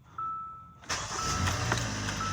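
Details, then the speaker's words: 2017 Hyundai Santa Fe 2.4 GDI after a valve-related misfire repair, first start: brief crank, clean firing and a steady, even idle with a warning chime, with no misfire. "yes sir there you go the problem solved no misfiring absolutely nothing it's done"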